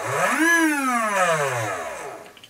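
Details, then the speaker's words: Repaired old Demon 2C model speed controller on a bench test with its motor: clean whine rising quickly in forward, then dropping smoothly as the brake brings it to a stop; forward and brakes both working. "we've got the motor here I'm stuck it on a bit neutral and I can show the brakes if I do it quickly so for Frank so the brakes are working as well"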